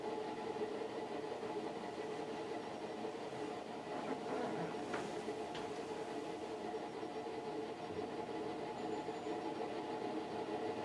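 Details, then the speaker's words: Fasco World's Fair ceiling fan on Vari-Low near top speed: soft motor hum with rumbling chug like a train; stiff, noisy bearings, oil and WD-40 planned. "yeah the sound of the bearings on this one almost sounds like a train chugging along the"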